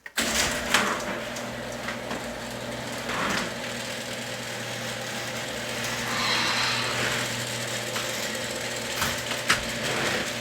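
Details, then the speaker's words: Worm-drive garage door opener after spraying lubricant on all contact points: steady motor hum with light rattles and clicks as the door travels, about twice as quiet as before. "all right so that's actually about twice as quiet as it was if you believe that so hope this helps everyone have a great day out there and we'll see you next time"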